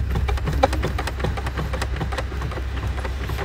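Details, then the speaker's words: Tesla driven over bumps, two years old: irregular plastic clicking and rubbing from the glove box over low road rumble. Two brace strips and a sharp corner had worn the panel, fixed with foam strips. "在过颠簸路段的时候，我这个手套箱就会发生这样子的声"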